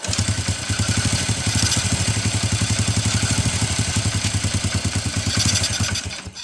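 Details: First-generation Honda Revo carbureted single-cylinder putters unevenly at idle, then dies within seconds and won't take throttle; spark is normal and the plug is black and dry; the cause is fuel starvation from a clogged carburetor pilot jet.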